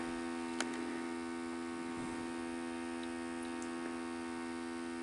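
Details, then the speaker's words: RCA VCR with tape inserted and play pressed: constant low motor hum, faint ticks, no reel motion; no fast-forward or rewind; suspected bad belt and worn idler tire; transport does not engage. "you put a tape in and you hit play and it won't do anything you hear the motor running and that's it"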